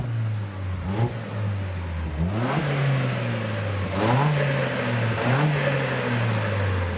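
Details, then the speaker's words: Vauxhall petrol engine revved stationary, filmed from outside: crisp free revs rising and falling cleanly with exhaust pops and a flutter on each lift-off; healthy, strong-sounding engine. "Nice bit of flutter. Fucking sick that, man. You can hear the exhaust pop and then get flutter around the front."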